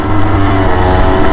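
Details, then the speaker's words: 2016 Derbi 50cc X-Treme Limited two-stroke supermoto, 19,000 km, derestricted, stock exhaust, 32°C day, under riding load: steady, fairly muted even buzz with no rattles; normal exhaust note, later reaching 80 km/h. "Elle fait pas beaucoup de bruit vu que c'est de l'origine. Il n'a pas changé la cartouche ni rien."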